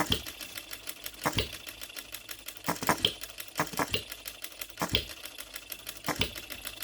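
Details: OKMO Retrol B02 miniature petrol hit-and-miss engine on shellite, very first start, straight out of the box with no adjustments: quick, even valve ticking broken by a sharp firing pop about every 1.25 seconds; steady, healthy hit-and-miss rhythm.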